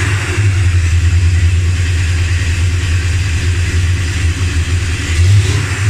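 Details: Dodge Ramcharger after replacing pushrods, rockers and rocker shaft: strong, even roar rising and falling with the throttle, with no ticking or knocking; the tick is gone, valvetrain clean.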